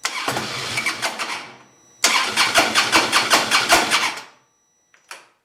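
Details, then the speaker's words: 2008 Harley-Davidson Road Glide V-twin with the fuel pump fuse pulled, run until it dies to relieve fuel pressure before a fuel filter replacement: fires with uneven pulses, fades and dies, restarts, then sputters out again from fuel starvation. "now start the bike and let it run until it dies"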